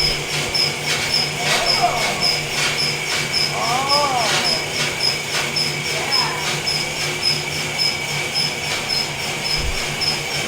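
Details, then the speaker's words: Felting machine after tweaking, retested: steady low hum, even tick just under twice a second, faint high chirp; no longer bouncing around like last time, running normally. "It's not bouncing all over like last time. This is a good sign."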